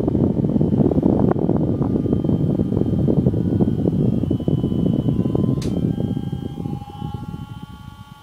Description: In this short fragment you can hear the PWM induced noise as the cheap brushless DC fan speed decreases.